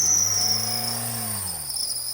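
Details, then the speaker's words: 2008 Hyundai Elantra at an auction, jump-started. A thin, steady high-pitched squeal over the idle from the slipping belt; it runs fine once started. "Started up with a jump. You hear the belt squealing on it."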